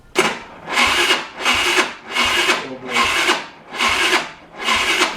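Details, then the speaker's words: Scooter that won't start, spark present but plug dry; six short electric starter bursts, engine spins but never catches; cranks but no start. "Всем привет! У меня снова не работает скутер. Значит, я пытаюсь включить зажигание. И зажигания я не могу его завести."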